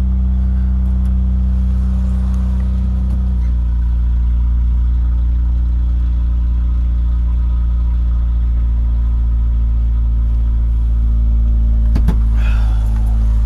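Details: Honda Prelude petrol engine at idle: deep, rough rumble with faint puffing beat; bad exhaust leak.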